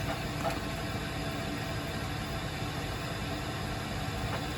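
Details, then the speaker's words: Weil-McLain WM97+ condensing gas boiler on a high-pressure/leaking relief valve call, firing at about 100% with flame signal 108, blower 88–90%; even steady blower and burner roar, no surging, firing cleanly at full rate. "I want to see what our flame signal is, which is 108. Right now, we are running at I think 100%."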